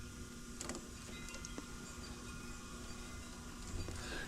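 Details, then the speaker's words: Air conditioner after recharge, close to 9 lb 14 oz of refrigerant: faint, irregular sharp clicks every second or so over a quiet unit hum; condenser contactor chattering in and out, first suspected flooding of the compressor. "It's like I keep hearing the contactor jump in and out. Yeah, I thought I was flooding the compressor or something, but that sounds more like the contactor jumping in and out."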